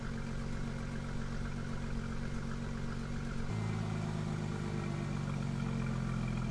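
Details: 2002 Ford Mustang 3.8L V6, 105k miles, after installing Pacesetter shorty headers, stock midpipe and muffler, during acceleration runs: smooth even exhaust drone stepping up cleanly in pitch, no ticking or puffing; earlier exhaust leak tick resolved, normal note.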